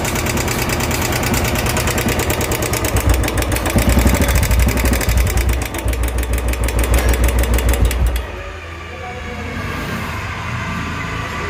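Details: Royal Enfield 350cc BS4 single-cylinder: loud, rapid, even ticking at idle, which sounds like piston, crank or timing chain but is from the hydraulic tappets, a common RE issue that is repaired.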